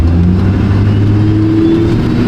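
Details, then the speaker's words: Fully restored 20-year-old Duramax diesel pickup on 35s, untuned, no emissions equipment, first test drive, floored at about 35 mph: deep drone building under load, turbo spooling cleanly with a faint rising tone, no smoke, quiet; normal. "I can hear the turbo that's pretty awesome no black smoke no white smoke really quiet"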